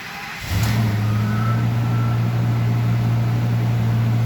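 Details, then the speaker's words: 2005 Ford F250 6.8L Triton V10 3-valve, 599,000 miles, after repairing coil pigtail for P0354 misfire: starts and settles into steady even low idle, no miss — normal idle after repair. "yeah she's a ton better"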